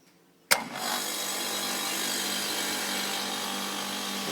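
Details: Copeland ZR42 scroll compressor on an ice-builder system after replacing the burnt contactor, overload and run and start capacitors: sharp contactor clack, then quick spin-up to a steady, even hum and hiss; healthy start.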